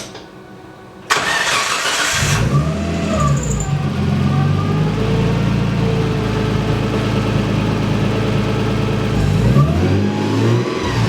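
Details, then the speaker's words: Nissan S13 after a water pump and timing belt job, accessory belts removed: the engine cranks, catches and idles with a thin whine that rises with revs; the timing belt is overtightened. "I don't know if uh I don't know how clearly you could hear that from the video but it's definitely the uh timing belt"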